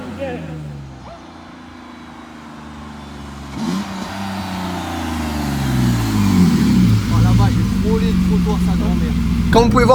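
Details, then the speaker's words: BMW E30 driven hard with oil at 110 degrees, as on track, pulls and revs smoothly up and down with zero top-end ticking; the J60 is credited with stopping the valve tick. "Et vous pouvez entendre zéro cliquetis au niveau du moteur. Donc la J60, ça fait bel et bien son effet."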